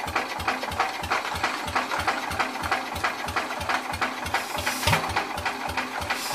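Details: Old Cub (circa 1953 or 1963), long unused, first battery crank attempt: steady cranking about three compression pulses a second with occasional weak catch, won't fire; carburetor suspected stuck, squeaks a lot.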